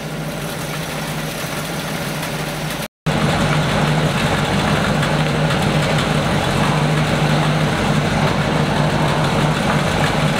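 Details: 1937 Buick limousine, restored in the 1980s and stored, thought to have last run in the 80s, 6-volt battery; old straight-eight settles into a steady, even idle with low rumble, no knocks or misses after first start in decades. Normal idle.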